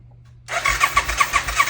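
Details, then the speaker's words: 1990 Suzuki VX800 that sat a long time, first turn-over on the starter with plugs in: even, regular pulses with no binding or clunk, sounding like it makes compression; the engine turns over freely. "Sounds like it's good. Sounds like it's making pressure, but we will find out momentarily."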